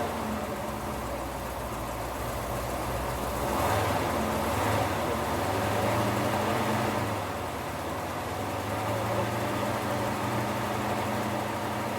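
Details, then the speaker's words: 1973 Cadillac Eldorado V8 just after start-up, before warm-up, with the low oil pressure warning sounding: settles into a steady, even idle with a low rumble and no knocks or misses. Sounds good, normal idle. "But this is really cool. It sounds good."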